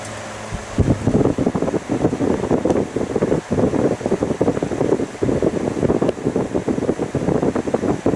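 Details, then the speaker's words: GE All Purpose fan, running on high speed only (low-speed winding burnt out): steady rushing whoosh with an uneven pulsing wobble, the blade slightly off balance; fan blade imbalance. "so you can tell that blade is a little bit off balanced"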